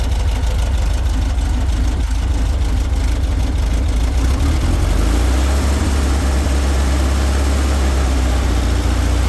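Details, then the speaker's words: VW bus air-cooled 1776 cc single-port flat-four, dual Dellorto carbs, mechanical fuel pump, built 2003, ~5K miles, non-ethanol fuel, first start after 5–6 months; even steady low rumble, smooth rhythm, no knocks or misses; healthy idle. "so that sounds great that's one thing about these air-cooled engines if you got them tuned up and uh have good fuel in them"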